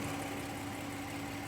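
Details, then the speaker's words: 2017 Audi Q7 3.0 with code P0304, engine running: steady idle hum with an uneven, shaky beat, engine visibly shaking and warning shown; cylinder 4 misfire. "prendí el carro y en verdad la maquinita s tiembla se siente le pongo la mano y se siente como tiembla la maquinita"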